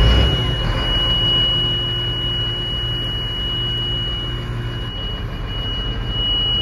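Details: 2010 Massey Ferguson 8650, AGCO SISU 84CTA 8.4 L six-cylinder diesel, 240 hp, 5187 hours, Dyna-VT: steady, even low rumble at idle with a faint high beep above it; sounds healthy.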